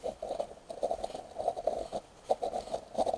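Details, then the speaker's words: Front wheel bearings of a Chinese quad bike, hub turned by hand after removing the wiper seal: dry, gritty crunching in uneven bursts, a rough wheel bearing; bearings to be knocked out and replaced. "sounds pretty crunchy hope you can hear that so what we'll do is we'll uh knock those bearings out"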